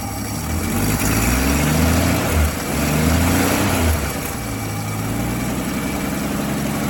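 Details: 1959 Dodge Coronet engine after fixing a sticking carburetor needle valve that had blocked fuel entry (car would only start when primed); a couple of gentle rev swells, then a steady, even idle; running properly, normal idle.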